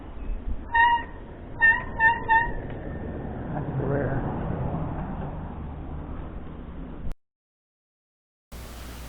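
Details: Mountain bike front disc brake giving four short high squeals as it grabs, rotor contaminated with WD40 or fork oil, which also stopped it braking; before conditioning with Ajax cleanser paste.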